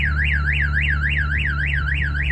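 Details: 2022 RAM TRX with aftermarket alarm and kill switches armed, triggered: loud warbling siren sweeping up and down about four times a second over the truck's low hum, lights flashing; security alarm sounding.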